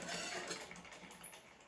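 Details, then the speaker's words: Household sewing machine after removing thread debris and cleaning the hook area and bobbin case, then refitting the bobbin case; light, fast, soft whirr with no clatter; runs smooth and quiet. "देखिए, अब इस machine को चला कर बताते आपको। बिल्कुल कितनी हल्की, ज़रा भी आवाज़ नहीं आ रही"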